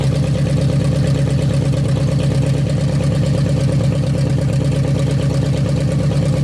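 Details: 1956 Studebaker Golden Hawk V8 idling at first start in 50 years: deep, steady, even burble with no misses or knocks. Carburetor and fuel pump working; runs good, needs only some fine tuning.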